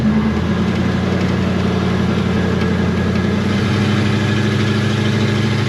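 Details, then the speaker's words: 1972 Chevy Nova third-gen project built from cobbled-together spare parts, driving slowly: deep, steady rumble firing evenly with no knocks or misses; runs well. "Not for nothing, for some stuff that we cobbled together and just Zero care did at what all. we did, it runs mint."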